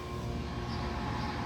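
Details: 1970s Otis hydraulic elevator, believed installed mid-to-late 70s, 3 stops, at a Gatlinburg motel, submersible pump motor: steady, even low hum with no knocks, surges or squeals; running normally, described as excellent condition.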